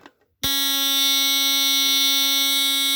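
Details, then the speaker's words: Comparison GE Home Sentry 8201301-301 smoke alarm with Star buzzer and slotted sensor, works even with cover off: after a short click, a loud steady continuous buzz, much lower than the 1977 8203-001; sounder works properly. "And that's a a star buzzer. And this one here, just for comparison, you can hear what it sounds like. See how much lower that is?"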